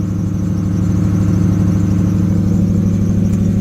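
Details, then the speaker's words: Neglected 2002 Lexus SC430 V8 at idle, misfiring with a flashing check-engine light and several warning lights on: loud, uneven idle with heavy exhaust, shaky throb and a faint squeal; owner suspects only about seven cylinders firing; squeal source unknown. "you can hear the exhaust heavy there is vibration and a squeak I think just running about seven cylinders"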